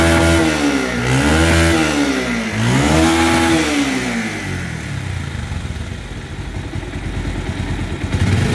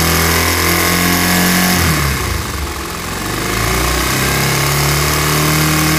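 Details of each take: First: Bajaj Pulsar 150 BS4 motorcycle after balancer pinion installed to cure engine rattling sound; clean rises and falls in pitch on throttle blips, no rattle or clatter, revving smoothly. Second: Bajaj Pulsar 150 BS4 motorcycle engine: busy metallic rattle and whirr over the engine, swelling with throttle; worn balancer gear, fixed by installing a new balancer pinion.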